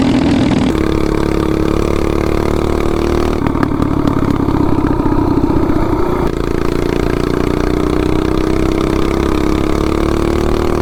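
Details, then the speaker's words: 420cc big block Doodlebug minibike with new clutch and 50 sprocket held flat out near 59-60 mph: steady high drone that stops climbing; owner thinks it is on the valve springs, not confirmed. "I think we're pretty much on the battle springs right there. I mean, pretty close to 60. Yeah, that gear setup made a big difference."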